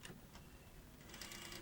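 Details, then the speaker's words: Sony SL-HF100 Beta Hi-Fi video recorder, donated, on high-speed rewind: quiet, uneven ticking and rattling clatter like something catching each turn; broken reel table, likely the supply one, with eject also faulty. "oh it sounds awful doesn't it definitely a broken wheel table and eject so there are some things to fix on that"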